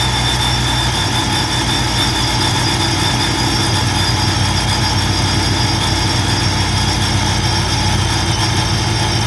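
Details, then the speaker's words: V8 Ram at first start after fitting a new TorqStorm supercharger, intercooler piping and blow-off valve, still breaking in: deep steady idle with a constant high-pitched whine on top, not very loud; normal supercharger whine. "you definitely hear the whining noise and it's you know still brand new it's still got break-in but it's really not that loud"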